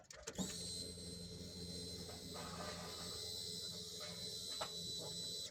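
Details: Nissan Patrol TB48DE 2008 with a cranking no-start and no check engine light; at key-on a steady high whine over a low hum runs about five seconds, then stops: the fuel pump is priming normally.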